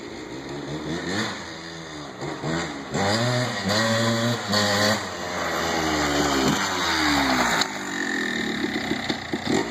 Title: 1987 Kawasaki KDX 200 First run after rebuild